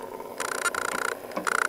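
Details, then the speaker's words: Small DC motor on PWM speed control (SN754410 half-H driver, Basic STAMP, ADC0831) turned back down from highest speed by potentiometer: high steady whine cuts briefly, then returns with a fluttering buzz; normal. "now to adjust the speed all you do is change the potentiometer can hear it getting [Applause] louder and now it's at its highest speed"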